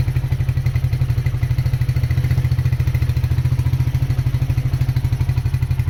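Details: Honda GL100 CDI before rebuild, low compression, erratic carburetor, smoking: steady rapid clatter over an even firing beat; the most audible noise is said to be the clutch, which judders on take-off.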